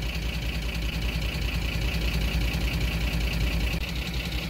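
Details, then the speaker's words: Ford F-150 5.4 3V, 300,000 miles, burning a quart in 600 miles, running poorly and noisy, idling with a mechanical gauge at the oil pressure switch: steady, slightly rough idle with a faint tick; oil pressure below the 25 psi VCT needs. "if this engine having low oil pressure it's not worth messing with it also has 300,000 miles on it and it got rid of a quart of oil in 600 miles"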